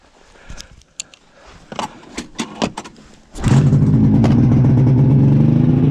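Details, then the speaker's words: 1999 Ski-Doo MXZ 670 HO snowmobile, which others had tried to set up for drags, before carburetor adjustment: a few clicks, then fires and holds fast steady two-stroke idle that never settles; high idle from misadjusted idle screws. "this one does have a high idle issue um i know before i got a hold of it some people were trying to set it up for drags"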